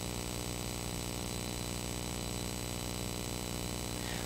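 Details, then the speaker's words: USB-powered Rode NTG microphone with analog output, powered from a type A USB charger: steady hiss with buzzy pulsing hum, electrical noise from the power source, as with the earlier type C charger; isolated juice pack tried next. "this one is type A uh the other one was type c but still a lot of noise in there"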